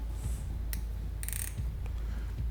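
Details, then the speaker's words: Fix-It Sticks driver with a 15 in-lb torque limiter tightening scope ring central screws: a few sharp ratchet clicks as the screw seats, then the head freewheels; the limiter releases at its set torque. "We start from the central screws and upon achieving the torque load of 15 lbs inch, which is quite small load, you can hear the idle rotation of the head, preventing the overtightening of the scope's mounting screws."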